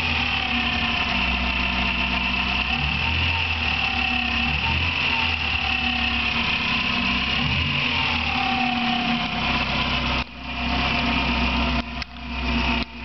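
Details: Car engine with a birdlike chirp for two years, now louder: thin steady chirp over smooth idle and light revving. Persists after replacing alternator bearing and timing belt tensioner and with alternator belt removed; owner considered the water pump; source unfound.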